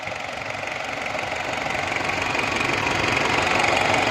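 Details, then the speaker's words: Toyota Prado diesel after general tuning for low pickup, black smoke and knocking, with cleaned fuel lines: steady even idle clatter staying regular as engine settles; runs clean and healthy after repair. "ਬਸ ਲਓ ਬਈ ਮੁਬਾਰਕ ਗੱਡੀ ਅਲਹਮਦੁਲਿਲਾ start ਕੀਤੀ ਹੈ ਇਹਦੀ ਇਹ check ਕਰੋ ਠੀਕ ਹੋ ਗਿਆ ਇੰਜਨ ਵੀ ਚੈੱਕ ਕਰੋ ਸਹੀ ਸਾਫ ਹੋ ਗਿਆ।"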